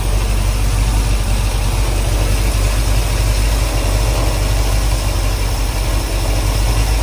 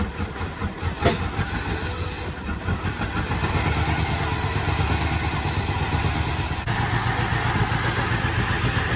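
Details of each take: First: 1968 Suburban with 5.3 LS V8 swap after cam sensor, wiring harness and loose ground fixes: deep, steady idle with even firing, no misses, knocks or stumbles; running great. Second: 1968 Suburban with 5.3 LS swap, after wiring harness replacement and exhaust fitted: uneven idle with sharp pops every few seconds through intake and exhaust; still backfiring and rough but running better.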